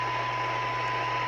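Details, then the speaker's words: 1982 LCL Enterprise UK CB27/81 mobile CB radio after receive alignment: steady hiss with faint even test tone just audible at just over 0.25 microvolts, beating the 0.4 µV spec; receive sensitivity good. "okay so I've been through it a few times and I can now hear it down - that's not point three not point two five just over"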